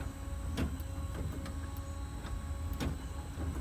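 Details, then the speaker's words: 1950 Chevy electric windshield wiper conversion motor replacing vacuum unit, wired to ignition: steady low hum with a soft click at each sweep reversal about every half second; normal operation. "back and forth turn the ignition off they stay in place they don't return they just stay in place with the ignition off"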